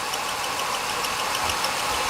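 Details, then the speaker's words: 2002 Ford Taurus 3.0 engine, intermittent no-start complaint: fast regular high chirp at idle, sounding like a belt, felt at the grey-topped cam sensor connector; cam sensor suspected failing, not confirmed. "it feels really smooth until I hear that chirping and then I feel it in that cam sensor so that cam sensor in this thing's actually go"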